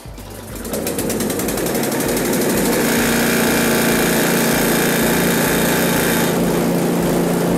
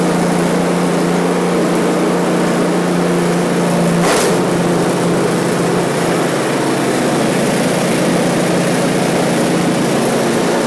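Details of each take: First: One-year-old Husqvarna ST224 snowblower whose fuel was left in over winter, run on choke, half choke, then off: a small single running rough and hunting, surging once the choke is off; a lean surge is suspected, with carb cleaning planned. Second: One-year-old Husqvarna ST224 snowblower engine after carburetor cleaning for fuel left over winter, full throttle, choke on, started after three primes: steady even drone with no surging or hunting; normal running after repair.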